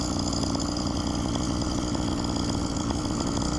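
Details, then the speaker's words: Phantom 85 two-stroke engine with MS460 piston on a motorized bike, riding: fast, buzzy idle staying steady, clearly quicker than normal tickover; idle set too high, carburetor needs adjusting to idle down. "We gotta do something about that idle though."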